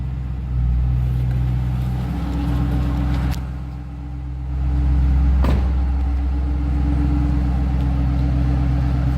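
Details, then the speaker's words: 2008 Ford Mustang Saleen S281, 4.6 L supercharged V8, 465 hp, 5-speed manual, parked: deep, even exhaust rumble swelling with a throttle blip and settling cleanly, exhaust and blower audible; healthy. "I don't know if you can hear this a little bit or not, but give you a little RPM. Hear the exhaust and blower."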